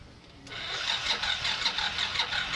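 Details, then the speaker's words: Yamaha NMax V1 155 with its battery reading 11.8 V, dropping to about 6.1 V while cranking. The starter whirs and drags with slow, labored pulses that never catch: a weak battery causing slow cranking. "So, ayan yung mga indication na na mahina na yung battery natin."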